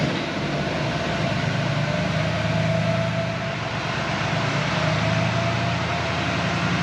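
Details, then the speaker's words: 2020 Chevrolet Silverado 3500 6.6L L5P Duramax turbo diesel after Banks intake and larger turbo pipes fitted, restarted; deep even rumble swelling cleanly with throttle blips and settling smoothly; normal diesel revving. "sounds pretty good there"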